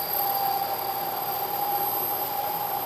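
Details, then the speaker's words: Lathe turning a long, thin part: a loud, steady ringing squeal near 800 Hz is chatter. The part deflects under cutting forces, rides up onto the tool and vibrates, leaving an irregular finish. Machining a center is the fix. "you can hear the noise the chatter and if you look closely you can see a very irregular surface finish what's happening is through the deflection of the part the part rises up a little bit rides up onto the tool and then back off the tool and vibrates"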